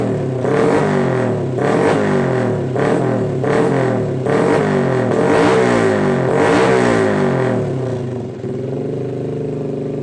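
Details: Honda Blade motorcycle after repairing an electrical short in the box near the battery, with smoke coming from the box; engine revs up and down in clean blips about every 1.5 seconds, then settles to idle; running healthy after repair.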